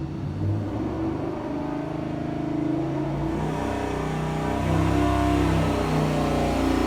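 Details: Junkyard 5.7L Hemi (bigger ring gap, Comp stage 4 HRT cam, upgraded springs) with S475 turbo, long-tube headers, intercooler, 80 lb injectors on dyno. Boost controller set to about 7 psi. Strong steady roar climbing in pitch under load, smooth and even, a healthy boosted pull.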